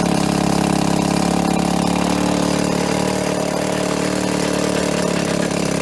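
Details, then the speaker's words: 1990 Evinrude 3.5hp two-stroke outboard, barn find, running again after coil and condenser work with Champion J4C plugs, low on fuel: steady buzzy note holding even speed with no stumbles or misses, running very smoothly; normal running. "90 lives again very smooth"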